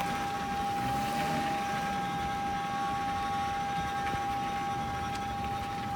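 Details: 2004 Toyota Camry XLE V6, 85k miles, steering turned hard left: steady high-pitched whine over rough grinding rustle, going on for months; source side unknown, passenger CV axle and wheel bearing previously replaced, owner suspects it began after alignment.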